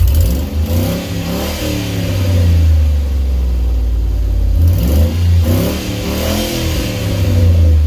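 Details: Ford E250 van project, just brought home, runs and drives: deep booming rumble swelling with each rev, sounds like a mud truck; exhaust far too loud, open or leaking system suspected.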